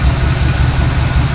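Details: 1986 GMC square body V8 back on the road after almost 10 years, with new fuel filter, air filter, oil, plugs, wires, battery and fresh gas: deep, steady low rumble with an even beat, no misses or knocks; smooth normal idle.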